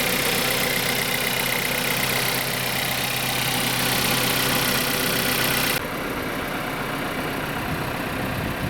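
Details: Audi Q3 1.4 TFSI (CZDA, EA211) after overhaul, block bored to second repair size, new pistons and rings: even, steady idle with no knocking or ticking over the engine hum; rebuilt engine sounds healthy and smooth.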